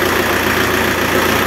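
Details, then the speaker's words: Renault Kangoo F8Q 1.9 diesel adapted from original Lucas Delphi DPC to mechanical Bosch VE pump, timed with dial indicator; short steady even idle clatter, no sharp knock; owner says it sounds impeccable; normal idle. "bueno el motor El sonido del motor se escucha impecable muchos dijeron que al instalar bombas mecánicas el motor queda más ruidoso"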